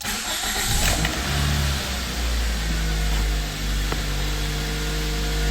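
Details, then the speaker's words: 2004 Toyota Matrix XR, 111,000 miles, code P0505 high idle, engine cold: catches and holds a fast steady idle around 1500–1550 rpm without settling, responds to throttle; idle air control valve suspected stuck by internal rust. "Oh yeah, I think that valve is stuck. The electronics, there is a rust inside, it's not moving"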